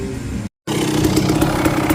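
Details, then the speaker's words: 1998 Kawasaki KX250 two-stroke dirt bike, earlier no-start after a crash with low spark, now kicked over at the track with new oil: crisp even two-stroke burble at low speed, no stumbling or cutting out; running healthy. "Alright, at the track, she's running good. I just kicked her."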